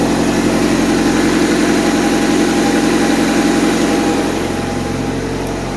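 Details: Honda Civic bought three days ago with issues, partly disassembled, fans on: even, steady idle with smooth low pulse, no knocks or ticks; idling normally, runs smooth.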